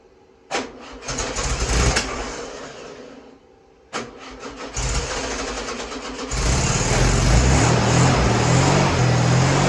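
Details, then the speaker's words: Freshly rebuilt VW 1641cc dual-port air-cooled flat-four on the floor, first start: two cranks catch, then even beat and clean revving, no ticks, taps, knocks or smoke; new pistons, rings, reconditioned head, redone carburetor; fuel pump bad. "okay so the engine runs great no ticks no taps no knocks no smoke didn't blow smoke nothing"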